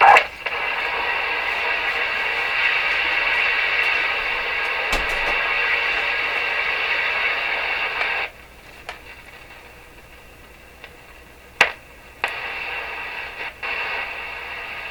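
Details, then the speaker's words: Rogers 11RA651 shortwave radio with external antenna reconnected: loud steady hiss and crackle heard even with volume at minimum, then drops away; noisy capacitors. Crackling capacitors. "So all this noise we hear now is coming with the volume set at minimum."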